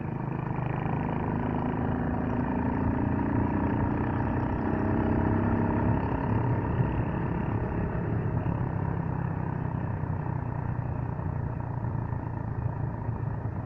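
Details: Suzuki Gixxer motorcycle running with loose, uneven clatter rising and falling with the engine note; noisy drive chain, cause unknown.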